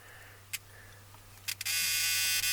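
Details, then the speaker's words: 1981 El Camino sat 21 years, good battery hooked up, key turned: steady high-pitched electric buzz after a couple of clicks; key-in-ignition warning buzzer working. "Oh, we got a key buzzer. That's good."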